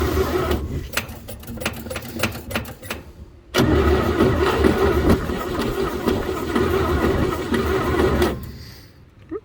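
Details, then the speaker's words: 1949 Chevy truck on a cold start attempt after 24 years, on a jump box: the starter churns in bursts, then cranks long and steady with no firing; the fuel pump hasn't drawn any fuel, and the points may need filing. Crank, no start, suspected fuel starvation. "Well, that was the first shot. We're gonna let it charge for a minute. Almost. It hasn't sucked anything in yet."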